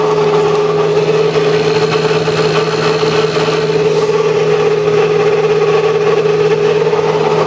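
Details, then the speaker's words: 1995 Sharp Comfort Touch 10,500 BTU air conditioner: loud unchanging drone with a steady high whine over the fan rush from a dry, worn fan motor bearing; oiling was tried first, and the bearings were later replaced. "ght let's turn on the 10,500 I think the bearing is pretty noisy on this one so so be prepared for that yeah that bearing sounds terrible that needs a lot of oil"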